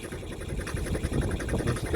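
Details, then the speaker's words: Roughly 40-year-old diesel of unknown make and model in a Snapdragon 24 boat, just got running with propeller shaft turning in forward and producing a wake: steady low diesel chug at idle with hull and water noise, running normally. "so basically these PS good to freaking go so just got the engine running got seot"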